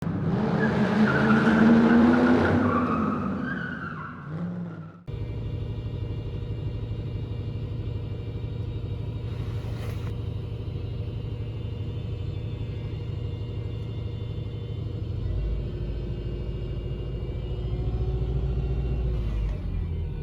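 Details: Subaru with EJ 2.5 SOHC engine idling: steady high whine over even idle from front of engine, loudest when cold, from a worn accessory idler pulley bearing; fixed by replacing drive belts and idler pulley.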